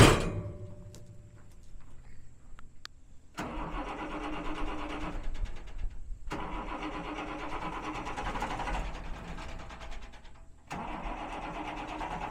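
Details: Red two-door Mercedes diesel on start: cranks, catches and roars up in bursts instead of dropping to idle because the gas pedal sticks, stuck throttle pedal.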